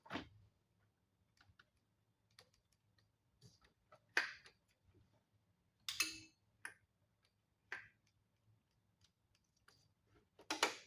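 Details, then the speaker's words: 1994 Polaris Trail Boss 250 ATV, non-running, with a battery connected and no lights. Sharp, irregular clicks every few seconds; a spliced wire runs hot with a loose connection nearby. Repeated electrical clicking, cause not confirmed. "we're going to see if this thing this thing will uh crank over on its on its own there's something clicking I don't see any lights"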